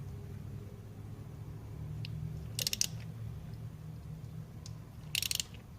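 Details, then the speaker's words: Nissan SR20 engine (NX2000/Sentra SE-R/200SX/G20), engine off and turned slowly by hand after installing a new timing chain tensioner: two bursts of sharp clicks as the tensioner ratchet extends, taking up chain slack and applying tension normally. "it's clicking a little bit more it's applying tension to the chain"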